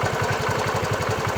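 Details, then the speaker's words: Bajaj Chetak 4-stroke scooter hot after about 7 minutes idling, revved; rough, uneven low thudding about ten beats a second under a loud buzz; knocking and misfire despite new plug, coil and cleaned carburetor, CDI suspected. "आपने देखा कि कैसे इंजन अजीब तरह का नॉक कर रहा है, मिसफायर कर रहा है।"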